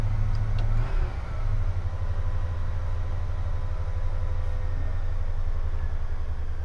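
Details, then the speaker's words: 1978 GMC Motorhome 26ft Royale: deep, even idle with a brief dip after start, then settling smooth and steady; healthy, normal idle. "there it's coming down with the idle as the as it runs more it's going to tune itself a little bit more to different situations"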